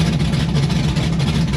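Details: 1992 Firebird with LS swap and Holley Terminator X, first start outdoors: deep V8 idle, lumpy and unsettled, chopping; thermostat stuck, cause of uneven idle not confirmed.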